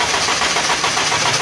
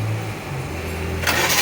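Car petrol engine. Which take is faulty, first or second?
first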